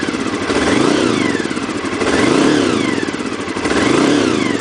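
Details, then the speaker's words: 1992 Honda VFR 750 V4, about 60,000 miles, throttle slack removed, choke set to maximum, carbs reworked: three smooth throttle blips rolling on rather than snapping as before; clean, even response. "you know the throttle doesn't snap now it rolls on and you can see how it rolls on you see the needle there"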